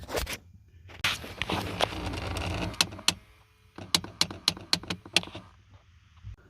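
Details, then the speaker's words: 2005 Nissan Titan 5.6L V8: turning the HVAC knob gives sharp uneven clicks and slaps from behind the dash under the driver's side; failing blend door actuator, replaced with aftermarket actuator to fix the noise. "There's another one that's the making noise. I will put my camera closer, somehow we can see where is located, and I will spin that knob. You will see how it's making noise."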